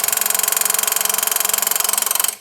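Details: Suzuki GS drag bike with Schnitz progressive nitrous controller: rapid, even clicking about twenty per second for over two seconds, then stops; nitrous solenoids pulsing normally.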